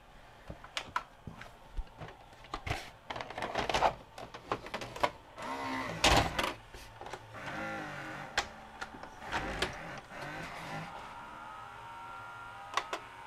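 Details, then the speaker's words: Sharp VC-H972 VHS VCR, bought new around 1996–97, won't load: irregular clicks, clatter and short motor whirs; cracked worm gear slipping on the loading motor shaft causes the noise, fixed without parts. "Yeah, it's just slipping on the shaft. That's why it's so noisy."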